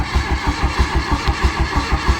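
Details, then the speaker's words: Mk1 VW Golf paddock find, no distributor fitted, cranked with a trigger lead on a big battery: steady chuffing, about six compression pulses a second, sounds low on compression, never fires. Cranks with no ignition. "that sounds so low on on compression that's what every Mar one sounds like sounds so sad poor little guy it's a shame we don't have a dizzy yeah if we had a dizzy we'd probably get somewhere"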